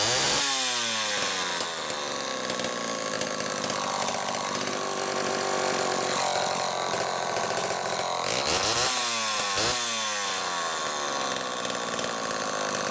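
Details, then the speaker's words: Homelite XL-12 chainsaw, final test run after an ignition repair (misaligned coil bracket): revs up crisply, holds a high steady scream in the cut, drops back and climbs again cleanly; running normally. "okay let's do a final test run on ted's xl12"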